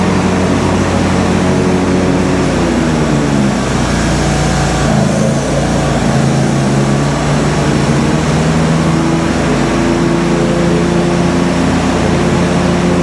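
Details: Kohler twin on a Simplicity Stallion zero-turn, after head gasket and carb work, now with a new muffler: steady, even drone with a brief dip and recovery, no misses or knocks; RPM maybe a hair low, slight whooshing noted, leak-down planned.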